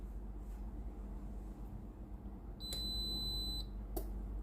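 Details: Tefal GV9565E0/23 steam iron after board repair (triac Z0103A, connector, resistor replaced): single clear high-pitched beep of about a second over faint room hum, iron signalling ready, board working normally.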